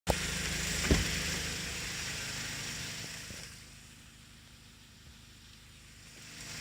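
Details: 2016 Toyota Camry 2.0 with a 6AR-FSE engine and 22,000 km: light, fairly regular tapping at idle over a hissy background, fading as the revs settle; knock of unknown origin.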